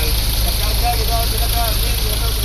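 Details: Ford Ranger diesel idling after replacing belt and tensioner bearing: steady, even low drone with no chirp or bearing whine; pulleys and bearings sound healthy.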